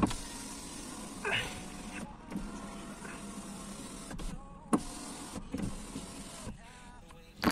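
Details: 2001 Skoda Octavia power window after regreasing and re-riveting the regulator to cure its typical squeak, running up and down smoothly with an even motor hum and no squeak.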